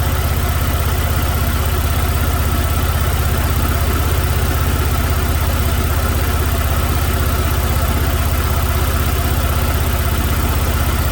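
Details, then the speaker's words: 2006 Chevrolet Malibu 2.2 Ecotec four-cylinder, flashing MIL, P0300: low lumpy idle stumbling about three times a second, cylinders 1 and 4 dead; breakout harness shows only one of the module's coil control waveforms, ignition control module failed. "i've got a perfect looking ignition waveform well keep quieting voltage burn time coil oscillations the whole nine yards but i don't have that on the other two wires"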